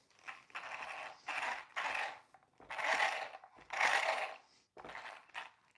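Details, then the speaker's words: Traxxas Rustler RC truck after transmission rebuild, pinion realigned with spur gear; short thin whirring bursts like a wind-up toy. Abnormal drivetrain noise persists. "Still sounds bad. Kind of sounds like a wind-up toy."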